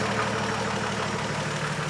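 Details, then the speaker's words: Old Chevy truck after an HEI distributor swap and a roadside breakdown: fast idle around 1100 RPM with headlights on, uneven stumbling beat and an intermittent skipped pulse. It has a weird misfire, cause not found, and is not charging at idle. "So, it is charging. It's just not charging at a low RPM anymore. It's also got a weird miss."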